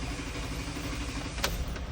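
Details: 2008 Jeep Wrangler 3.8L starter cranking long before starting, misfires and crank sensor codes; crank sensor pigtail wires on the passenger-side bell housing found split and exposed, connector repaired.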